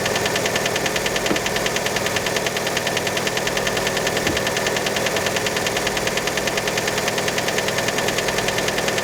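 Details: Fiat Panda engine right after a cold start: cold idle with sharp, even tapping about three per second; cause unconfirmed, many suspect piston skirt.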